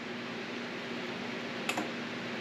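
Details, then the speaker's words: Tumbler sublimation press heating at 360 degrees: a single sharp relay click over a steady hiss as the heaters switch on and off to hold temperature, which is normal. "And you'll hear it clicking on and off. It's just the heaters kicking on and off to maintain that 360 degree temperature."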